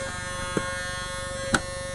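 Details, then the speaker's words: RCA CMR300 VHS camcorder powered on: constant electrical buzz with steady whine and small clicks; buzzes but will not play, cause unknown. "buzzing cannot it's not doesn't even play for some I could this VHS camcorder does not really work for some reason."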